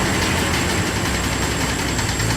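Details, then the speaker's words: 1998 Jeep Cherokee XJ engine before rebuild, good compression: rough running with a faint hollow regular knock; teardown found a blown piston skirt on cylinder 6, piston slap. "It ran really well, but it was making a noise."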